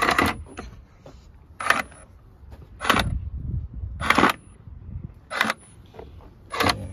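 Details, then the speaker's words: 2003-2007 Smart Fortwo 450 gearbox out of the car, gearbox adaptation run with a diagnostic tool: six short whirring bursts as the clutch actuator and gear select motors activate. Transmission teaching reported successful; normal operation. "you can't exactly see anything working but you can hear the motors activating okay so it says here that it said the result of the transmission teaching is successful"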